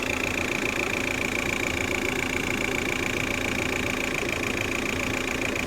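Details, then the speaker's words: 2003 Ford Galaxy 1.9 TDi PD, long crank to start then cuts out after about five minutes: diesel idling with steady slightly uneven clatter near stalling; crank sensor signal stays steady, so cause lies elsewhere. "here we go it's ready to cut out and that signal's still there so it's something else going on here"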